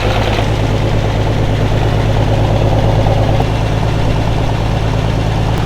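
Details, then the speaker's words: V8 idling with a loud, lumpy, uneven beat and irregular stumbles roughly twice a second; missing on two cylinders before, now only one, antifreeze smoke seen. Cause not confirmed. "Missing on two before, now it's only missing on one."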